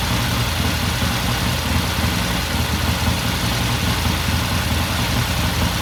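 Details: 1969 Triumph TR6 twin, warm idle after cold start; pilot air screw turned in half a turn after pilot jet cleaned, run about 10 minutes. Steady, even idle, regular firing beat, no misses, ticks or hunting; normal warm idle.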